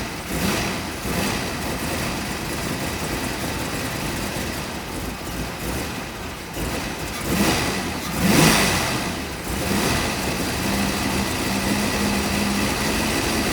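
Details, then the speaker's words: 1986 Ford Mustang GT 5.0 V8 field find, sat for a long time, injectors never pulled, still burning debris off the catalytic converters: steady even idle with one clean rev blip that settles straight back; runs smooth and quiet. "but I fired it up and I'm super pumped this thing runs it does an idle worth a flip"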